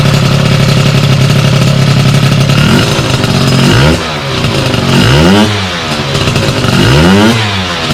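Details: Sym DD50 scooter with a Polini Corsa Mini two-stroke build, jetting set after a basic check: crisp steady idle, then three clean blips rising and falling smoothly; normal idle and revving.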